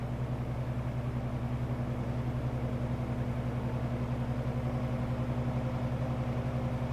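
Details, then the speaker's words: 1963 GE F15W13 electrically reversible three-speed box fan on low, blowing in, sitting on a rug on uneven cement; low steady hum with a soft even blade whoosh, no rattle, reached steady low RPM, running smoothly. "It sounds like it's just now up to the low RPM. It's not gaining speed anymore. It's just kind of running at a steady speed now."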